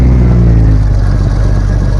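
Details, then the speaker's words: 1997 Jeep Cherokee after crankshaft position sensor and air flow sensor replacement: engine catches promptly and settles into a steady deep rumble with no misses or knocks; a clean, healthy start. "There we go. It's fired up."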